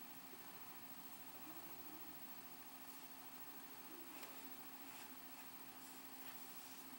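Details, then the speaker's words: Xbox 360 console, normal running noise: faint even fan hiss with low steady hum, no rattles or surging, much quieter than the loud console before it. "so as you can see it's not nearly as loud"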